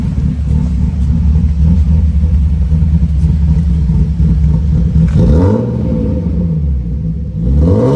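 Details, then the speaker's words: BMW E36 M3 after injector rebuild (new filters, gaskets) and throttle-cable adjustment, mic at rear: open-pipe rumble climbs and drops cleanly on each blip with no misfire, where before it skipped RPMs trying to rev; misfire appears fixed. "And as you can see, when I rev it up, there's no misfire. Like it sounds smooth up, smooth down."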